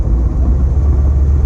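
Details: 1934 Ford 3-window coupe, 383 small-block with dual-quad tunnel ram, TH350, Ford 9-inch with 3.73 gears, cruising: a steady low rear differential howl under road rumble, worst on coast, louder inside; crunching in reverse; exact cause unconfirmed.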